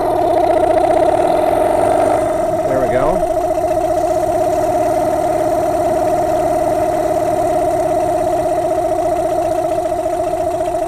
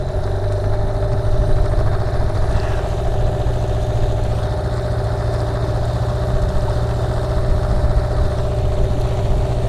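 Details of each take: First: Yamaha two-stroke dinghy outboard, warm about 80°F, no choke, after carb cleaning (had been shaking at low-mid rpm, owner suspects too much oil gumming it): steady even burble at idle before idle-screw adjustment. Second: Dinghy outboard after carb cleaning: low lumpy idle with uneven beat and slight wobble, shake reduced but still present; cause not confirmed.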